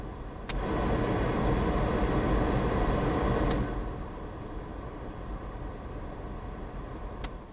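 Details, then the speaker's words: 1995 Ford Transit Mk5 camper van, 180,000 miles, heater blower after repair of squeaky fan: steady airy whoosh dropping to a lower speed, no squeak or chirp; fan now runs quietly. "no more squeaks silent as the grave just like a diesel engine good luck"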